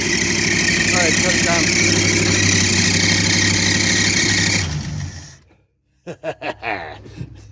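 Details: 1964 Dodge Dart 270 V8, last tagged in 1990, first start in about 30 years: engine catches and runs fast and even for several seconds, then shuts off with a few short blips.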